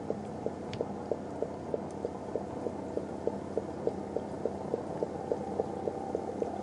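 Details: Homemade HHO Volcano wet cell with a badly leaking enclosure lid, pressed down by hand on both sides: regular gurgling pops, about three a second, as gas bubbles steadily through a small water bubbler feeding a makeshift mini torch.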